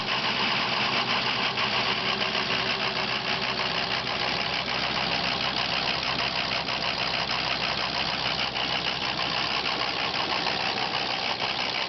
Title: Rough Idle From Bad ICP Sensor